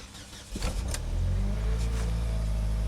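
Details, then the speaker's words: Saab cold start on an icy January day: a brief crank, then the engine catches quickly and settles into a steady, even low idle. Normal cold start. "Nice. Started up really well."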